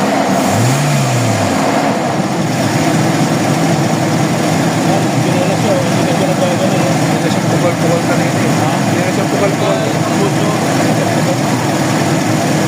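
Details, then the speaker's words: Toyota Revo 1RZ petrol engine after fixing misfire traced to injector number 4: now idles steadily and evenly, no knocking, misfire or shaking, unlike the unstable running before. "Wala ng tutunog-tunog yung ano wala na. Wala ng pokok."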